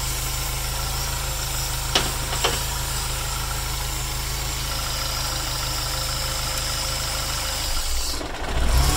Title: Dual Catch Can Rough Idle